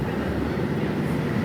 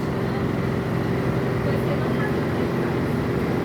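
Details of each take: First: Ceiling-mounted split air conditioner indoor unit after repair: the fan motor had lost its support and shook the turbines, fixed by replacing the motor's rubber mount; now a steady, even rush of fan air, no rattling, running quiet. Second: Air conditioner indoor unit's blower fan motor wobbling without support, loud steady rumbling drone; cause was the worn fan motor mount (cushion); after replacing it the unit became quiet.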